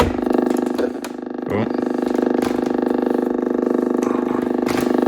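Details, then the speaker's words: Blaupunkt HCX-150 cassette radio alarm clock, 240V/50Hz South African unit run via step-up converter: steady low buzzing hum with fast pulsing flutter during tape playback, changing as things move; later traced to RF interference from a nearby phone. "Okay. Yeah, I got to find out why that's humming. Strange. It's like something is over top of the tape um circuit."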